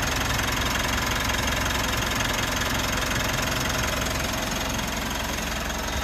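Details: 3rd-gen Mitsubishi Montero/Pajero Sport diesel, first start after weeks of quarantine sitting: starts normally into a steady, even idle clatter with no misses; battery reads 14.1 V, dashboard warning only from low key-fob battery.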